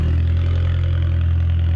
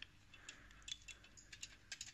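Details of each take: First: 1.4 TDI VW Polo after a clutch replacement, gearbox refitted and coolant topped up: smooth, even diesel idle with a steady low drone and no rattle from the gearbox end, confirming the earlier rattle is gone. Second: VW Polo 1.4 TDI, removed clutch friction plate during clutch replacement: a loose, tinny metallic rattle as it is shaken, from a worn centre spline hub that moves and shouldn't.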